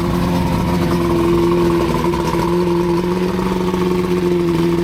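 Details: Outboard test run after new head gaskets (prior overheat and head water leaks), on water hookup: steady, even, smooth mid tone, no knocks or misses; sounds healthy though leaking around water pipe.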